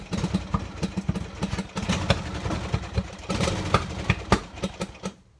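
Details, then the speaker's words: Poulan riding tractor single-cylinder engine: stumbling putter with irregular pops and misses, fading out and dying; ran bad even after spark plug change and wouldn't restart; owner suspects the carburetor. "i changed the spark plug i thought was uh the spark plug on it still was running bad it got to a point didn't want to turn back on"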